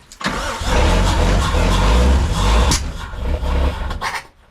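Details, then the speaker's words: 1972 Toyota Land Cruiser FJ40, parked about 40 years, briefly ran before this attempt: uneven cranking for about four seconds with a few weak puffs, no catch; cranks but won't start, fuel system likely needs priming. "I just need it to get fuel now wait is there a tank wait ask I don't know if there's a tank in it"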